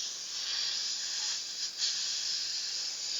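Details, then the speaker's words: Polytron refrigerator that doesn't cool, quiet compressor and corroded pipes; capillary cut to check for refrigerant: a steady high, airy hiss, only air coming out with no refrigerant. The system has a leak. "kalau seperti ini ini bukan freon ini namanya angin jadi sudah pasti adanya kebocoran hanya potong satu titik ini kemerucuk"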